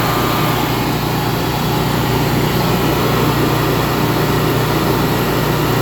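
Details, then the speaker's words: Generac 22K Guardian air-cooled propane standby generator after the faulty LP regulator, blamed for 1501 RPM sense loss stalls, was dealt with: level, unchanging drone holding speed, no surging or stumbling; normal running. "Boom, running, obviously good."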